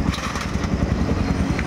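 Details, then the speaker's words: Kawasaki Barako 175 single-cylinder after repair (full-wave charging conversion, banjo bolt fixed): even quick idle thump, no tapping or rattle on top; starts on one click, engine now quiet and healthy. "Yan, one click na siya. Tahimik na. Wala nang garargal yung makina."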